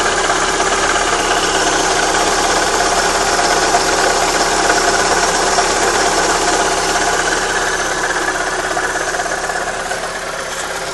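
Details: Opel Astra G 1.6 16V petrol engine at steady idle: busy, rattly mechanical clatter throughout; abnormal engine noise, source not identified.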